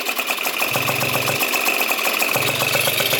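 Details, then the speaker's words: Yamaha Zuma bugeye scooter, 70cc Polini two-stroke rebuild, idling after welding a bad exhaust leak at the head near the restrictor tack weld: crisp, even buzzing idle with no puffing or hissing; sounds healthy. "Glad, because it was leaking bad out the head right there. So now this thing's sounding real good."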